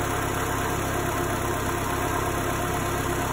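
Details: 2008 Chevy Aveo after throttle body and throttle actuator replacement, codes cleared: idle has dropped from 1500 to about 1000 rpm and is steady and even with no stumbles or hunting. Normal idle.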